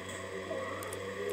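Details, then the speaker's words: Electric fan after disassembly, lubrication and tight reassembly: steady, even hum with a smooth whirr, no scraping or rattle, motor spinning freely; no longer noisy, running normally. "kembali halus yang suaranya sudah tidak Berisik lagi seperti yang sebelum diperlakukan pelumasan ya"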